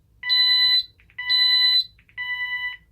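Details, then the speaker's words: Ademco 6128 alarm keypad, tested without modules fitted: pressing 1 and star (or star and pound) triggers fire panic, heard as three shrill steady beeps about one a second in a quiet room. "So 1 and star, if we push that, that's our fire panic. And star and pound is also a fire panic."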